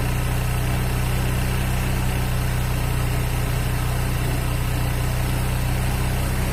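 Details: Honda Vario 125 fuel-injected scooter, hard to start: steady low idle with coarse, uneven chatter. Piston worn loose in the cylinder block causes the rough sound and weak compression.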